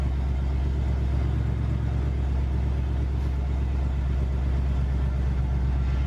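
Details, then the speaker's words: Chevy C1500 truck after cheap MagnaFlow mufflers were fitted to cure a rod-knock-like rattle: deep, steady V8 exhaust burble at idle, with no rattle or knock. "Well, that fixed that issue. It sounds way better than I was expecting, actually,"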